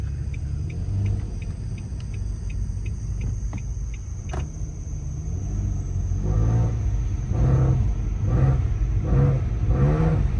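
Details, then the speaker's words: Car after hitting a deer, driving: deep boomy rumble swelling with throttle, much louder than stock; owner suspects exhaust leak, possibly a pierced pipe or damaged muffler, not confirmed. "the more I hear the more it sounds like an exhaust leak"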